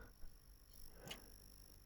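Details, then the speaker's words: Dead ASUS ROG Zephyrus GX650 laptop motherboard (no power, no charging) on bench power supply: faint steady high-pitched squeal with brief chirps, coil whine from a shorted power rail drawing current, possibly a bad capacitor. "Wow. It's making its own music. Okay. I've never had a squeaky short circuit before."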